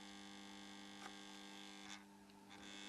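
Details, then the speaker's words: 13.8 V power supply, rectifier diodes disconnected, no load, just switched on: loud steady buzzy mains hum; transformer extremely noisy, possibly loose, gets quieter when touched. "Power switch lights up. Oh man, the transformer, as you can hear, is extremely noisy."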